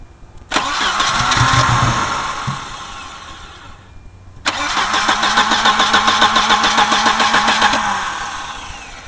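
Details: Volvo 240DL after a head gasket job, fresh gas added: starter whirs, engine fires about four uneven times then dies; cause was a bent crank sensor ring spoiling the timing signal, bending it back made it start right up.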